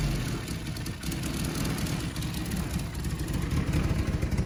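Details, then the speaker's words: 4G63 compound-turbo four-cylinder Fox Body Mustang, first start, revved after about 7 minutes of cooldown, heard from the exhaust side with a dummy transmission fitted: choppy, lumpy pulses and an uneven deep rumble. Radical cams; still needs tuning. "These cams are a little radical, so it's definitely going to need some tuning. But we'll get there."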